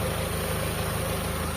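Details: Carbureted car engine after carb tuning and clearing a clogged intake port, previously hard starting: short stretch of steady, evenly pulsing petrol idle with no hunting or stumble, settled at tick-over.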